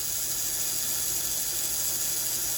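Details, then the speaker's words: 1961–65 Thunderbird/Cadillac power antenna motor bench-run after sitting long; steady high-pitched whir with fine even gear buzz, no grinding or speed surges, same sound both directions; motor runs smoothly. "You can hear the difference in the pitch of the engine. Sounds pretty good. It sounds the sound is the same both ways."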